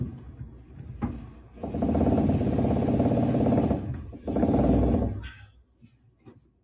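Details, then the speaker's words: Dryer running with rapid, rough plasticky flutter: belt too small, over-extended idler/tensioner metal piece or wheel rubbing against the motor shaft that spins the belt. "And then the noise we're hearing is this either this metal piece because it's so extended, rubbing up against the metal shaft of the motor that spins the belt, and or the wheel here is hitting up against the shaft also. So this has a plasticky sound, like blah, blah, blah, blah."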